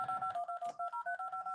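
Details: Arduino Uno DTMF program through speakers after reset: quick even string of about a dozen clean dual-pitch tone bursts with crisp gaps, nice and loud; tone generator working properly.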